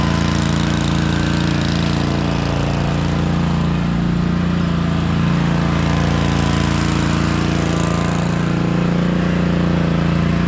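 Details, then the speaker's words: Cub Cadet RZT zero-turn mower with a 54-inch deck, running on its V-twin, which has a bad compression release, before it was swapped for a newer Kohler Courage V-twin. Loud, steady, fairly even drone; runs great, with no specific fault audible. "Hopefully you can see why it is that I thought this thing was all finished. You know, it runs great, and mowing deck sounds perfect."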